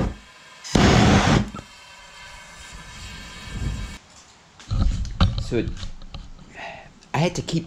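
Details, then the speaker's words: Gas melting furnace fitted with a homemade Frosty T burner, air almost fully blocked off: roar surges and dies back unevenly, never steady; hunting, owner suspects the burner tube is too long and plans to shorten it. "the air off almost almost all the way blocked off and it kept on doing that hunting and that was it different pressures on here you could hear the gas coming out"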